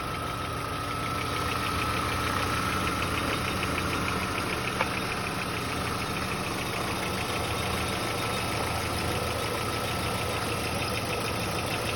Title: Пассат б4 Мотор стучит или так и должен работать ? Подскажите пожалуйста